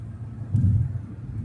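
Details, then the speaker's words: 1989 Toyota Cressida revived after sitting years, driving at 60 mph and about 2,300 rpm: low, even engine hum under steady cruising, no knocks, misses or whine; running smoothly. "Man, does it run good. Let me roll the windows up so you can hear me. Yeah, this thing is just smooth."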